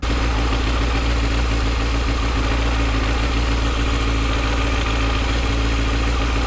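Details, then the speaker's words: Yamaha FZ6 idling in neutral with the clutch lever out: even four-cylinder idle with a light chatter of the clutch plates against each other, a normal clutch rattle and no problem. "when you're in neutral clutched out you hear the plates chatter against each other and some people get confused and scared and worry about that being a problem but it's not"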